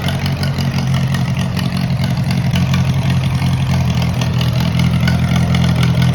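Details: Moline model BF tractor started on choke after sitting over a year, battery dead earlier: steady, even low rumble at idle with a touch of throttle, no misses or knocks; normal idle and revving.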